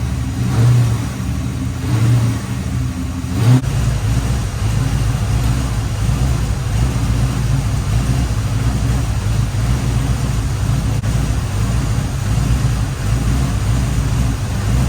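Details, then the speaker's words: 1989 Chevy Corvette C4 that sat for years, before the timing fix; it does not want to stay running. Low steady drone with a slightly uneven beat: rough-running misfire. "Running a little funny, so I thought, well, throw a timing light on it and see, and then I see this."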